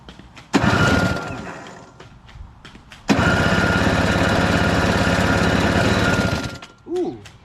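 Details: Craftsman 521 / Toro CR20E single-stage two-stroke snow blower with a diaphragm carburetor, on electric start with the disconnected choke closed by hand. Two cranking bursts; the second catches rough for about three seconds, then dies: a brief fire on starting fluid.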